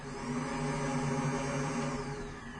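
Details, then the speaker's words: Secondary air injection (AIR) pump motor powered directly with 12 V battery voltage via power probe during diagnosis: steady, even electric whir at one pitch with no grinding or rattle; motor runs normally, ruled out as the fault. "So putting 12 volts to the motor does operate it. In a diagnostic situation, this would be 100% confirmation that the motor is not the problem."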